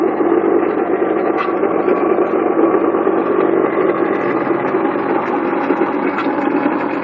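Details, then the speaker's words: 1997 Honda Accord engine running: harsh constant rattling grind from the front pulley side, traced to the water pump, whose bearing probably failed. "The problem is the water pump. All that rattling and stuff you heard was the water pump. Bearings probably went bad, and that thing is just terrible, man. It sounds horrible."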